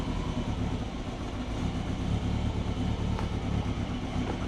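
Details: Turbo Subaru Forester on Haltech Elite 550 with new 980cc injectors and new O2 sensor, idle control just enabled, not yet up to temperature, lower radiator hose leaking; steady, even low rumble with no misses, surging or knocking: normal idle.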